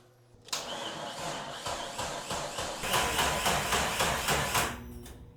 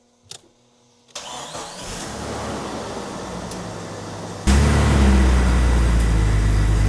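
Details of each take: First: Jeep Cherokee XJ with freshly replaced 4.0 engine, first start: starter cranks slowly and labored, about four pulses a second, never catching; really dead battery, earlier a bad battery connection suspected. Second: Jeep Cherokee XJ with replacement 4.0 inline-six, first cold start: steady cranking, then smooth even idle, good cold oil pressure, no vacuum leaks.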